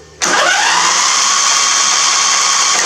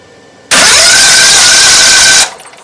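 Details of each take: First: Briggs 21 hp V-twin LT1000 mower after fitting a 16-tooth John Deere V-twin starter in place of a 14-tooth one, after several starters tried: two cranking bursts of a few seconds each, steady high whir, clean engagement; starter drive working normally. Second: Briggs & Stratton 21 hp V-twin on an LT1000 mower, starter just greased: starter spins with steady high whir under two seconds, engine never fires; spark check shows no spark, cranks but no start; coil later swapped.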